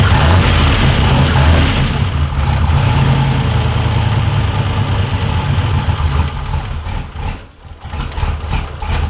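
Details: Ford F100 with swapped turbo LS1 V8 (Holley-managed), after adjusting the throttle butterfly stop screw to raise idle and reduce reliance on the idle air control motor: deep, steady, even rumble with no misses or knocks; smooth, normal idle.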